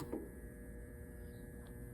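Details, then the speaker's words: Whirlpool/Maytag Centennial top-load washer set to warm wash with no water connected: both hot and cold inlet valve coils energized, giving a steady fixed-pitch electrical hum with no pulsing; inlet valves working normally. "you press start the water is not hooked up but you can hear the water valve it is buzzing I think that's the hot"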